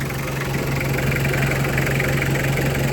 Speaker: เลยว่าเครื่องดีระบบน้ำดีนะครับนิ่งๆเลยนะครับเช็คให้เรียบร้อยระดับน้ำก็อยู่ปกตินะครับ